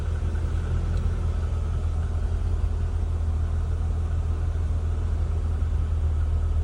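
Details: All-original 1988 Toyota Hilux Surf wagon, cold start after sitting two or three days, hood open: low steady rumble with an even beat and no knocks or misses. Healthy cold idle.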